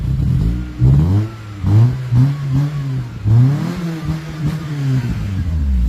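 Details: 1996 Toyota Corona automatic: several quick throttle blips, revs rise and fall cleanly with smooth even note, no knocks or misses, no exhaust smoke; normal healthy revving.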